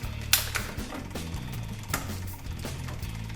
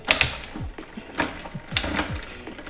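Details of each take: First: Bike 1x rear derailleur, listening to the drivetrain: irregular light ticking and chattering as the chain pushes against and tries to climb onto the bigger sprocket, almost shifting by itself, from too much cable tension. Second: Rear derailleur on 1x drivetrain bike after limit/indexing adjustment, downshifting: quick sharp clicks, chain drops cleanly to smaller sprocket without grinding or hesitation; shifting crisp.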